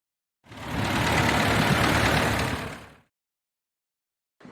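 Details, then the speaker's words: Shovelhead V-twin running, noise from the cam chest that forum replies and owner judge abnormal: quick, fairly even tapping about four per second before teardown. Abnormal cam chest noise, cause unconfirmed. "Okay, so I uh posted on a forum some video of the noise coming from my cam chest here and a couple people responded saying that that didn't sound normal. And it didn't sound normal to me either."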